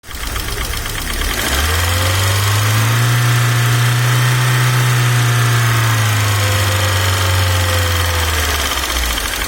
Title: Стук гидрокомпенсаторов не зависит от давления масла.